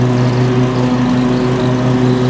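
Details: Loud, steady gas engine drone with an even, unbroken beat and no knocks or surges from a worn, old gas mower before it is compared against a newer Cub Cadet ZT1 ZTR and a RYOBI Z54Li electric rider; normal running, just noisy.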